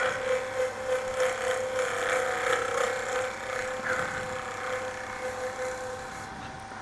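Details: Lathe turning a resin-cast tumbleweed with an Easy Wood Tools negative-rake cutter, sharper cutter: steady motor hum with a light, even swish each turn and no chatter; smooth cut.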